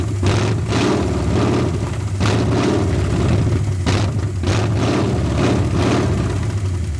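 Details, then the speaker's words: 1981 Ford Mustang 5.0 V8, carbureted, parked since 1996, running on a temporary micro electric fuel pump: lumpy idle that stumbles, surges and nearly dies. A bad vacuum leak is suspected, possibly a carb gasket; distributor timing may also be off. "This thing has a horrible vacuum leak somewhere. Give me a few minutes. I'm going to see if I can find that vacuum leak."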